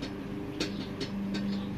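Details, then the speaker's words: 2018 RadPower Bike large basket being shaken: three short, sharp metallic rattles about half a second apart at a tapered rather than butt-welded joint; loose rattle in the basket frame, probably not an issue. "it looks like it's it's been tapered slightly tapered to go in here but you can hear it rattling"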